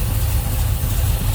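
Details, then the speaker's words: 1966 Chevrolet Chevelle SS tribute, 454 big-block with just-rebuilt Holley 750 carb, new plugs, HEI ignition, headers, turbo 350 trans, hood open: deep, even idle with a slight lumpy cam beat, no knocks or misses; normal healthy idle. "Sounds like it's got a little cam to it."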